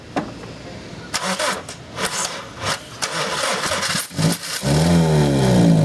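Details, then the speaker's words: 2001 Honda Civic 1.7L starts, runs, stalls: repeated crank-and-catch attempts sputter and fade to a weak uneven run while injection pulse, spark, fuel pressure stay good and exhaust isn't plugged; timing belt one tooth off, fix is resetting it. "what we saw in that shot was this vehicle dying out but we were not losing injection pulse"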